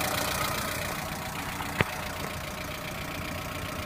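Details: Lada Priora engine at idle: faint rapid ticking knock with one sharp clack near the middle; engine knock, source unclear.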